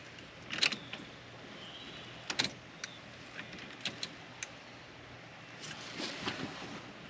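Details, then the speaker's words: K5 Blazer after Holley Terminator X EFI install, priming at key-on: sharp scattered fuel pump relay clicks with no pump hum behind them, no fuel pressure on gauge; pump not heard running, wiring to be probed. "fuel pump relay is clicking but I don't hear the fuel pump kicking on it's entirely possible it's just quiet"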